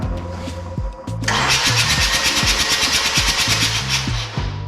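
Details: Long-abandoned barn-find rotary-engine car with spark plugs removed and a sensor unplugged, cranked on the starter: fast, even whooshing churn with no firing or compression beats; it doesn't sound great and some smoke or dust comes out.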